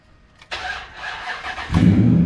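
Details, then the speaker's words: 2003 Ram 1500 with its battery at 11.94 V. A sluggish, dragging crank lasts about a second before the engine catches; the battery barely has enough charge and needs replacing. "that that dragged out start that's because that battery barely has enough juice to make it happen so we got to get into doing a battery swap"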